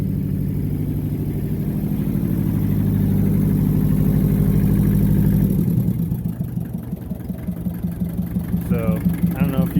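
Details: Massey Ferguson 205-4 tractor diesel, slow to start because the fuel control was in the wrong position; steady, even idle for several seconds, then winds down when the control is pushed in to shut off; healthy.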